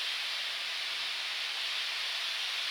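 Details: Low-temperature probe station in open-loop cooldown under vacuum: steady, even high hiss with no pulsing or sputter as liquid nitrogen flows through the line; normal liquid nitrogen flow.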